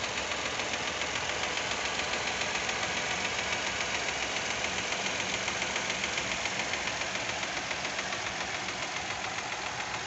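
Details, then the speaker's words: 2023 Fiat Argo 1.0 Firefly, engine hot at idle: fast, even light ticking, about three or four a second; owner suspects the hydraulic lifters and is unsure whether it is normal. "tem que encher de óleo carregar ele e faz aquele barulho de pulso mecânico né eu acho que não deveria fazer esse barulho"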